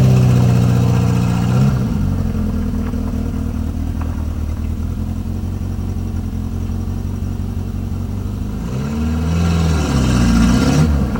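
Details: Renault 19 on its first move after engine repair: engine pulls smoothly through steady running and a couple of rev rises, with even firing and no knocks or misfires; normal running.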